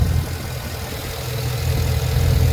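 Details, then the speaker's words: Small engine on the HeadHunter, normally smooth, idling after a ride: uneven, stumbling beat instead of a steady pulse and visible shaking, no knocks or anything out of place; running rough from a misfire. "listens to the engine see how shaking it's real rough it's not shaking this engine usually smooth"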